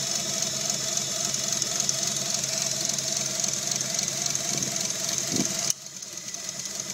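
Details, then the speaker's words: 3G Eclipse 6G75 V6 with cylinder 4 misfire (P0304, check engine light on) despite new plugs, wires, cap and rotor, most prominent around 2000 rpm: uneven stumbling lope; owner suspects PCM circuit or pinched injector wire. "so you can hear the obvious miss it's most prominent right there 2000 rpm and of course now the check engine light is on when you pull the check engine code it's a p0304 which is a cylinder for misfire"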